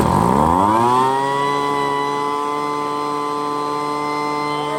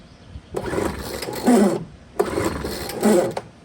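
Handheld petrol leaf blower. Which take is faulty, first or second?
second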